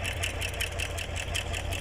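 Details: Chevrolet Corvette C7 V8 idling rough with sharp quick tick over low rumble; DTC P0300 misfire, cylinder 7; cause a collapsed AFM lifter; fix: remove cylinder head, replace all valve lifters.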